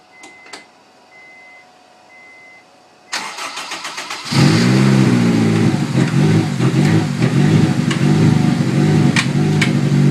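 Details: Honda S2000 cold start: chime, brief crank, then loud fast idle with a wavering, uneven drone; owner asks what the weird noise is.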